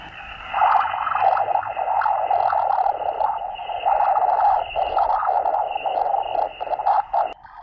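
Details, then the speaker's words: Victron SmartSolar 75/15 MPPT solar charge controller on off-grid HF ham radio: constant buzzy hash with pulsing drone, worst on 160 and 80 meters, also 40 meters; stops only when solar panel is disconnected; RFI switching noise from controller. "now the noise is definitely worse on 160 meters and 80 meters"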